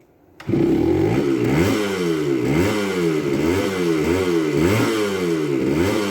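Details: 1978 Kawasaki KE100 two-stroke, first start with a new carb and choke on: catches first try, then crisp rising and falling revs with a clean ringing note, pulling evenly, healthy running. A slipping clutch was noticed afterward.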